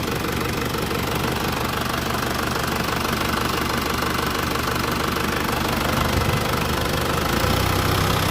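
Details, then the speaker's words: Isuzu Panther 2.5 conventional (non-common-rail) diesel after DIY injection-system purging: steady idle, even crisp clatter at constant pitch, no misses, sharper than before; normal idle, cleaner combustion. "Mesinnya suaranya ya apa renyah gitu loh. Katanya mesinnya suaranya lebih tajam kayak gini maksudnya. Suara kas dieselnya itu lebih renyah gitu, kayak goreng-goreng kerupuk gitu loh."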